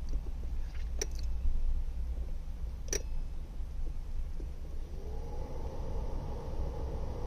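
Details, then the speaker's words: 2014 Subaru Impreza blower with new motor, resistor and relay, burnt fan switch bypassed: relay clicks, then the blower spins up into a smooth rising hum; runs normally. "My connections aren't great, but the fan turns on, and I was able to set it to 1, 2, and 2 different speeds."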